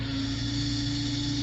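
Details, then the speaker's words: Honda Del Sol after engine swap, second remanufactured power steering pump, wheel turned lock to lock 20–25 minutes on lift, now on ground: steady mid-pitched whine over idle; pump whines and gives no assist, cause unknown. "can hear it whining I have no idea why but basically I had no power steering right off this pump and it whined and it grinded and it made all kinds of terrible noises"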